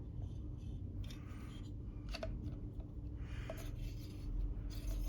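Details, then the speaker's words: Reassembled meat grinder after home knife sharpening, cover lightly pressed, screw turned by hand: slow rasping strokes of the knife rubbing snugly against the plate with no gap, showing a tight fit. "то есть нож вот плотненько идёт"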